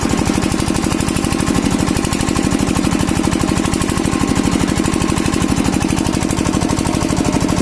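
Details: Kirloskar diesel engine after diesel filter replacement for a starting problem: steady, even thumping beat at about three firings a second, no misses or stumbles; normal running.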